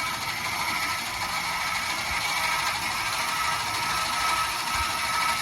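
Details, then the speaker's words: 26RKWS camper front stabilizer jacks, two on one electric motor, lowering: steady motor hum with light gear chatter, labouring as jacks touch the ground; normal operation. "Okay, so you were able to kind of hear the labor of the motor when it started to work."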